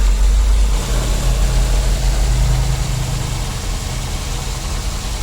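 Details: 2009 Daihatsu Gran Max: steady, even low idle hum with no squeal or chatter from the belt drive; runs smooth and quiet.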